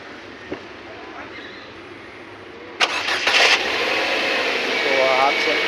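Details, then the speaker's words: Ford Figo after fixing a fuel supply no-start, fuel pump and filter pipe properly refitted: quiet, then catches cleanly and settles into steady, even idle with no misfire or stumble; healthy start. "Start हो चुकी है उसको ठीक किया गया है"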